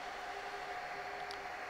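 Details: Dell R610 server at no load: loud, steady rushing fan whir with two fixed tones, about 74 dB at the front. Failing ambient temperature sensor reads 40C in a 23-25C room, driving fans high; fix is replacing the front I/O board.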